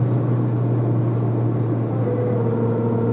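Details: Citroën Saxo at a certain highway speed under light throttle: a steady low droning hum from the front over road noise; worn left drive shaft, fixed by replacing it.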